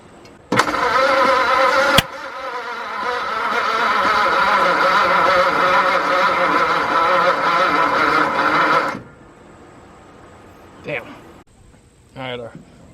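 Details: 1953 Ford truck with a newly installed engine, crude first-start setup on starting fluid, oil pressure building: steady cranking about two beats a second for eight seconds without catching. Owner suspects a voltage problem.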